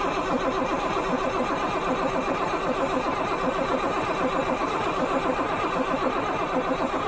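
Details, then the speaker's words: Freightliner FL70 with Cat engine, sat a long time, cranked with one battery and a jumped starter button: steady, sluggish cranking at roughly seventy-odd rpm with no firing; solenoid clicks, owner suspects battery or connections. "All right, it's switched on. Well, sounds like the battery. Something's done something to the battery."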